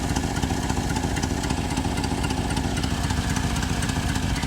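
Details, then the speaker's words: 1988 Chevrolet Suburban 2500, V8 (believed 5.7 L), first start after six years' storage: fast sharp puffing tick over a rough deep idle from a broken, blowing exhaust header; owner also feels a possible knock when revved. "Man, you can really hear that. You can really hear that broken header."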